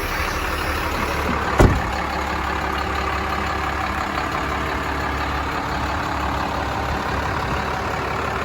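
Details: 1996 Dodge Ram 3500 dually 4x4 with a 5.9 Cummins 12-valve diesel, five-speed manual and 78k miles, just started: steady, even diesel clatter at idle with a deep exhaust note and one brief knock early on; sounds like a healthy idle.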